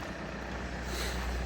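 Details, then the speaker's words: Saab NG9-5 A20DTH diesel (as in the Insignia), 302,000 km, factory turbo, exhaust heard after the VNT vanes were fixed for no boost. Soft, low rumble with no roar or hiss; the vanes are working again and muffle the exhaust, which was very loud when they were stuck open. "yeah that's way quieter because earlier since the VNT WS was open it was super loud because it kind of the vnts also make the turbo kind of a silencer to the exhaust so now it's nothing out here it's completely"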